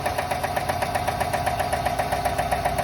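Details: 2020 GMC Sierra 6.2L V8 idle with a steady sharp tick about four times a second, lifter tick, with code P0305 cylinder 3 misfire.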